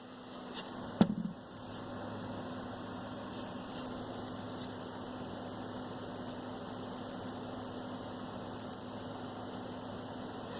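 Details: Xbox One S 2018 console hums steadily, with faint, sharp, high squeaks and chirps popping up irregularly on top; intermittent strange noise, cause unknown to owner.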